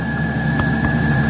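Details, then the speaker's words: Van diesel heater (Iveco Daily camper) after error code 10, no ignition; cracked fuel filter found and fuel re-primed: steady even combustion roar over constant fan whine, hot air blowing, no sputter; normal combustion after fix. "yes definitely hot air coming out oh my God thank you Jesus oh thank you Jesus I fixed my diesel here"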